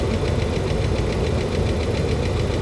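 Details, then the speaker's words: 2009 Dodge Ram 1500 Hemi with 325,000 miles: quick, light metallic ticking, about seven a second, in time with idle over a low rumble. Heard from both sides of the engine, not very loud; owner unsure whether it is Hemi tick or injection. "I mean, I'm hearing the noise out of both sides of the engine. It's not like it's coming from just one place. And it's not like... This isn't super loud."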